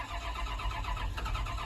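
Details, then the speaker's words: Farm excavator diesel cranking after priming and bleeding air from the fuel system; sediment in the fuel tank is suspected. A lumpy, uneven chuffing crank that won't settle; rough cranking, possibly fuel starvation. "Doesn't sound any better. Go, go, puff, puff, puff, puff. All right, I was just cranking on it and it was going."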